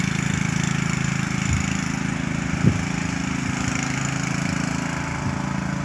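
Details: Troy-Bilt lawn mower engine running extremely loud with weird noises: a harsh, steady drone with a couple of odd cracks mixed in, far noisier than it should be.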